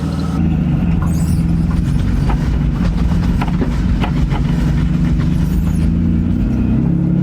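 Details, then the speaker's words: BMW E36 drift car after patching exhaust leaks (O2 sensor holes, rotted crossmember) with exhaust putty: low drone with sharp irregular pops and cracks, definitely wider exhaust backfire. "yeah it's definitely wider backfire"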